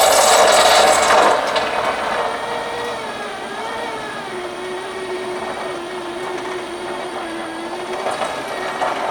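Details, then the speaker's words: Subaru Sambar sunroof motor after repair: a gritty, wavering drone with a rough scraping edge through the whole travel. The drive cable is grinding in its guide tube. Tracks were cleaned and given silicone lubricant, and it sounds better with the tube end pieces loose. "yeah the reason why it's a bit noisy um the I'll just show you the actual tubing um where the cable actually runs into"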